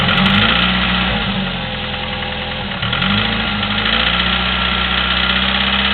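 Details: Chevy S-10 2.2L, 154K miles, Flowmaster 40 exhaust: light quick ticking, a few clicks a second, over loud exhaust idle; valve clicking for 45K miles, cause unconfirmed.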